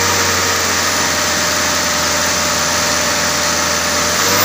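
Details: Mitsubishi Canter 125 diesel that would hardly start, after injection pump setting: ticking over at a steady, even idle with no misses; it runs, though not especially crisply.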